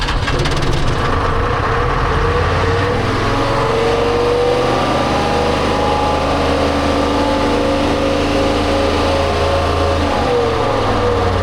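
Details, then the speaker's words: Telehandler swapped from John Deere to a Detroit 353 two-stroke diesel, suspected algae contamination in fuel, after fuel line rework: runs loud and rough, pitch wandering and sagging; engine will not idle. "You still don't want to idle. Oh, great. J will not idle,"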